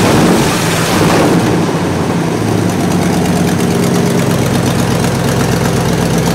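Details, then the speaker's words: 1968 Buick LeSabre V8 idling after engine repair, previously abandoned with no oil pressure and leaking head gaskets; valve cover off, oil pressure good, head gaskets holding, temperature stable around 190°; smooth low rumble, no knocks or misses, healthy. "head gaskets are holding up temperature is stable good oil pressure"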